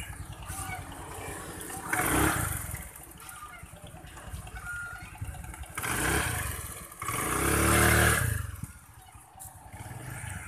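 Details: Honda Vario 110 scooter with a stumble on initial throttle (mid and upper revs fine, vacuum rubber normal), after carburettor and air-screw adjustment: quiet idle, then clean smooth throttle blips rising and falling without stutter or misfire; revving now normal.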